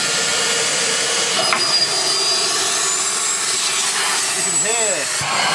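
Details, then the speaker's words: Beko VRT6221P cordless vacuum, after a year and a half of near-daily use, with the narrow crevice tool fitted: high motor whir wavering and labouring as the crevice tool clogs and chokes airflow; motor strains. "And it has been used quite a lot, but that is so narrow that it just clogs itself up."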